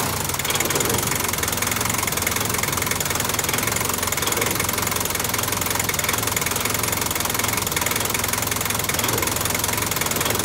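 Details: 1985 Toyota Dyna diesel truck with cold-start trouble, after repairing corroded glow plug relay contact: dense, even diesel clatter at steady idle with no stumbling or misfire; engine caught and runs fine.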